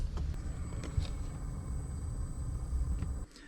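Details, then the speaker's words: 5 kW diesel heater in a van, after replacing the faulty temperature sensor (it read 101 instead of 11 °C), which had left it failing to fire and blowing cold air: normal startup, steady fan rumble, faint whine and light clicks, less noisy than before, now blowing warm air. "Well, I'm noticing straight away that it's not as noisy as it was previously. This is how it should sound when it starts up. Yeah, that sounds good."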